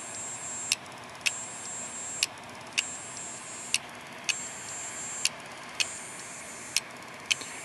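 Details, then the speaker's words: Failing hard drive making sharp paired clicks about every 1.5 seconds over a thin high whine; clicking suggests damaged read/write heads and likely damaged platters, suspected click of death, not confirmed. "this noise is bad okay if you have a clicking noise chances are your heads are damaged if your heads are damaged chances are your platters are damaged"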